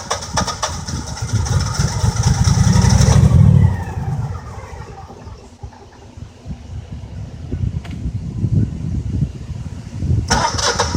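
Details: Generac 6244 20 kW standby generator, 5.5 in. water column measured at the sediment trap: long laboring cranking before it finally catches and settles; hard start.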